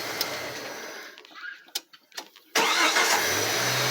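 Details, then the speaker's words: Jeep Cherokee XJ first start after new cylinder head, plugs, wires, hoses, gaskets and cold air filter on a relatively recent short block: short crank, fires right away into a smooth, quiet, even idle; normal cold start. "all right this this thing is quiet I love it"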